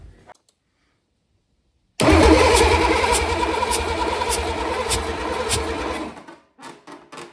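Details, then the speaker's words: Freshly painted Cummins diesel in a Land Rover Defender swap, first start attempt on rigged battery and starter wires: about four seconds of cranking with a loose rhythmic chug that never catches while air is bled from the fuel system; diesel squirted from loose lines. "So, I can see that this one's got diesel and it's squirting everywhere. So, I'm going to tighten this one up."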